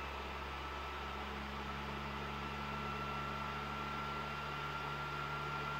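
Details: PS4 Pro CUH-7016B in the multiplayer menu, before cleaning. Cooling fan at full speed measures about 60 dB, a loud steady jet-like roar with a faint high whistle. Caused by dust and dried thermal paste; after cleaning and repasting it drops to about 35 dB.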